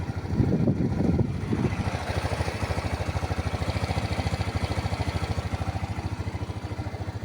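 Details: Rusi Passion scooter after installing a D-type carburetor, checking the spark plug and a tune-up to cure hard starting and poor idle: even, steady single-cylinder putter holding the same speed without faltering, a healthy, stable idle.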